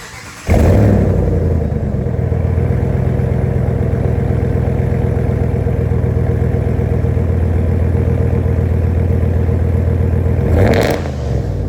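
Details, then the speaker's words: 2026 Ram with C&L delete kit replacing factory muffler: fires up into loud, coarse rumbling unmuffled drone; louder but untuned and raspy, getting really gross above idle. "So much as suspected, the muffler delete is louder, but it certainly does not sound tuned, and it gets real gross anything above idle."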